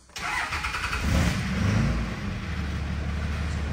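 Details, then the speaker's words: 2003–2007 Cummins third-gen common-rail diesel with a low rail pressure fault starts on two jump packs with a stronger lift pump; cranks briefly, flares and settles to a smooth steady idle. "that'll do it let me get our scan tool hook back up oh you're on the test drive real quick it's already looking a lot better we're holding rail pressure"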